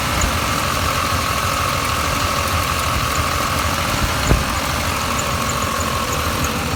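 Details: 1989 Chevy Silverado at steady idle. A faint, even light ticking and a thin constant whine sit over the rumble; the owner reports a strange noise whose source is unknown.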